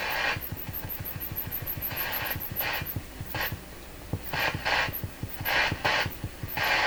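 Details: German Greatz Polka tube radio after capacitor replacement: low putt-putt motorboating pulses about four a second under faint music in the audio stage; traced to a corroded, failed wire.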